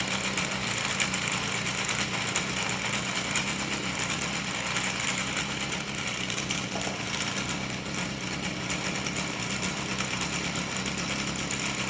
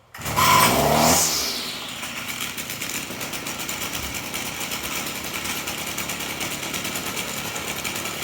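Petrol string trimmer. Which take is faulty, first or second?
second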